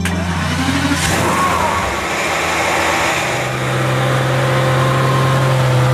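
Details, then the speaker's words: Aston Martin DB7 V12, replacement engine fitted after car sat over 5 years, on the road: uneven, stumbling beat as it pulls away, misfiring on several cylinders; No. 2 fuel pump fuse out, pump failed, water found in tank. "यह नहीं रहता है, यह कई मिसफायर देना शुरू कर देता है"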